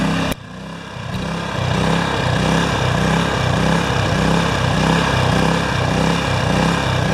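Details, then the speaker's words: Yamaha generator with Mikuni carburetor, test run after carb cleaning and float refit: rhythmic rise and fall about four swells a second, unsteady governed speed. The carburetor still has a problem, pointing to a fuel-delivery fault causing engine surging. "so what's going in is there's still a bit of a problem with this carburetor but a new one is 200 bucks because it's a mikuni not a to come see"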